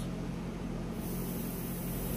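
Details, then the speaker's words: Synapse diverter valve bench-tested with about 32 psi shop air from a compressor: steady airy hiss over low compressor rumble; valve leaking, missing an O-ring and landing appears unmachined. "like it's leaking feel it we can definitely do and they hit it with some more pressure definitely leaking"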